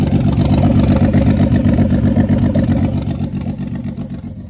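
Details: Turbo 24v VR6 on the stock ECU, first start after about a year without running, electric secondary water pump working: fires and runs with a steady, even pulse of about four beats a second, settling smoothly with no knocks or rattles. Normal running.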